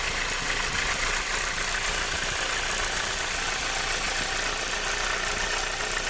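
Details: Renault 19 16V phase 1, F7P engine, idling with alternator belt removed: hissy, rattling, quick uneven chatter from the cambelt area; source not yet pinned down.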